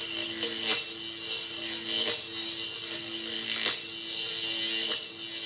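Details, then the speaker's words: Neon-sign transformer stepping 120 V up to 6,000 V, two wires held close together: sharp sizzling hiss with repeated crackling snaps over a faint buzz as high voltage arcs across the gap between the leads. "That's arcing electricity, but it's 6,000 volts."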